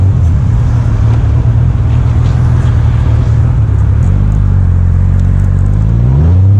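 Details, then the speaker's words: 1998 Honda Goldwing GL1500 SE flat-six on a test ride, after a new clutch master cylinder and a small check ball added at the push rod: low steady drone, then revs flare without pulling; the clutch is slipping. "so as you might have heard me in the video when I did that last test run the clutch started slipping"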